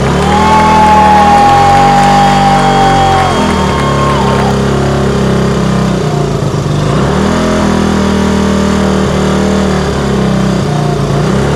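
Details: 1964 Honda C110 single, reassembled from pieces, idling unevenly with its note sagging and climbing at random: hunting idle. The carburettor slide isn't working and the throttle is unhappy; the bike later won't restart.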